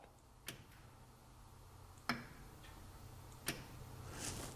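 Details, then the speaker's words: 2008 Chevy Silverado 4.3, EVAP vent solenoid replacement (salvage part) commanded on and off by scan tool: three sharp crisp clicks about 1.5 s apart, solenoid working normally. "we're gonna go ahead and take the replacement solenoid now and plug that in we're gonna hold on to it see if we can feel it I'm sure you can even hear that hear it poppin"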